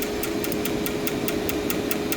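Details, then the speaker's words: 2% lanthanated blue tungsten arc-start test machine, 200 amps, repeated starts: crisp ticks about five a second over steady hum, with extra zipping ticks and early sputters where arc starts misfire, sparks without flash. "All those extra ticks in there. The zip zipping."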